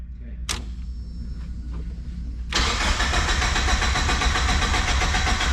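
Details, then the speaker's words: Turbocharged Miata: the starter whirs steadily at about 3.5 turns a second but the engine never fires; cranks, no start. "it's too good to be true sadly well at least she's cranking"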